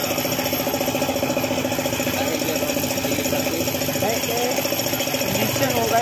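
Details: Suzuki F6A engine idling with a steady knock, about three to four per second; the oil pump has stopped working, so the engine knocks from oil starvation.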